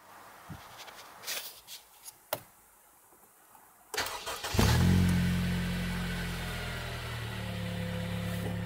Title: Honda civic type r engine knocking